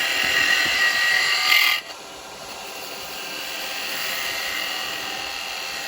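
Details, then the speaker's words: Record Power 1/4" spindle gouge cutting wood on a lathe after being shortened and reground: steady, even shaving hiss with no screech or chatter, then easing to the lathe's quiet hum; a smooth cut. "it's nice it's not got all that Flex to it you know it's screeching on it even there's no screeching it didn't Screech or nothing"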